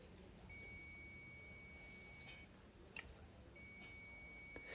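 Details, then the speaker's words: Whirlpool microwave not heating: multimeter continuity test between magnetron terminal and body beeps twice, showing the magnetron is shorted to ground and must be replaced. "so one lead is going to be on the body and you should not get a beep but if you get a beat that means it's bad it's grounded replace it"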